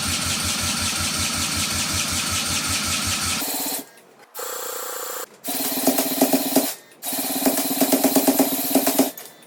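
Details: 1968 Honda CL175 with supercharged EFI on E85, cranked by drill: cranking then short, ragged bursts that stumble and die, firing on one cylinder; right exhaust stone cold, plug has spark but bone dry, injector stuck closed.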